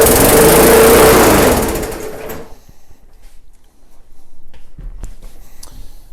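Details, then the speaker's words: MTD/Yard Machines walk-behind mower, opened to about half throttle: engine screams at a high racing speed, then drops away; still revving too high, governor arm needs adjusting. "I'm gonna open it up. Let's go about halfway."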